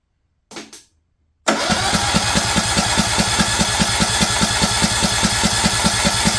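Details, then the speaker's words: Craftsman LT2000 single-cylinder engine, suspected junk, starter jumped directly: steady, even chugging about twice a second, no knocks or binding; cranking sounds normal, ignition grounding unknown. "doesn't sound bad I have no idea if the ignition is grounded or not"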